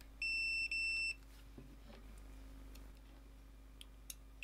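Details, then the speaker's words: Fluke T110, Kaiweets ST120 and Metrix MX67 testers checking a replacement UK plug fuse: three short steady high-pitched beeps in quick succession in a quiet room, each confirming continuity; the fuse is good. "Testing if a replacement fuse is still good is just as easy."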